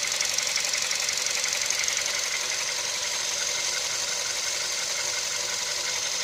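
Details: CFNA engine at operating temperature, hot idle: light, fairly steady metallic tapping near two per second over the engine hum; internal knock appearing when hot, cause unknown.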